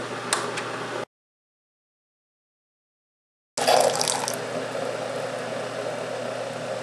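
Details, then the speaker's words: Keurig K-Cup brewer making its second cup, two mechanical pumps audibly running: low steady pump hum with water gurgling and dribbling after a short pause; a normal, healthy brew cycle. "and then in addition to that again you've got the two pumps whereas and those pumps are actual mechanical pumps you can hear them running"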